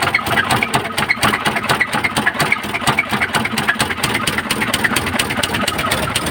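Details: Isuzu 4JB1 diesel engine with white smoke: running with a sharp, uneven knock riding over the idle at roughly two per second; engine knocking, cause unclear.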